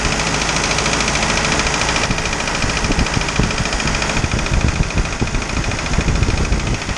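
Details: Isuzu 4BD2T diesel on its first start after the build, once the fuel system was primed of air: it fires and settles into a steady clattering idle under heavy background noise; normal.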